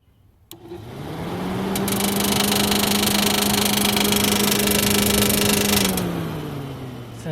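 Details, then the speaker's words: 1989 Jeep Cherokee XJ Renix 4.6L I6, first test run of modified radiator fan and shroud: fan hums with light regular tapping about four per second, fading as it slows; owner suspects fan-to-shroud clearance or gap, unconfirmed. "like we got some tappy tappes Below have to check clearances"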